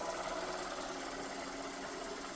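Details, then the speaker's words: Motor runs with constant loud gritty whirring grind because balls of the bottom bearing ride in the groove of the other bearing; bearing grinding noise. "Yeah, it's loud, but that's just because this bearing on the bottom is uh in the groove of the other bearing. So, it's like the balls are are touching."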